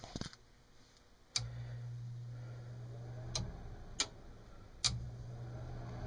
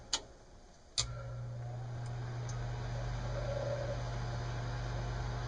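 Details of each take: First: Lennox mid-efficiency furnace: relay clicks, then the inducer fan spins up with a loud rough rumbling roar; its motor bearings are probably shot, fan to be replaced. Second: Lennox mid-efficiency furnace after replacing the noisy inducer fan motor with shot bearings: two clicks, then the new inducer starts and settles into a smooth, quiet, steady hum. Normal inducer fan operation.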